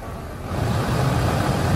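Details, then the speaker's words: 2007 Lexus IS350, new aftermarket AC blower motor after replacing noisy broken one, tested out of the car on medium: even low whooshing hum swelling then holding steady, no scraping or ticking; normal operation. "You can see it literally just shook off the ground. This is high. This thing is, I mean, literally it's like holding on to a drone."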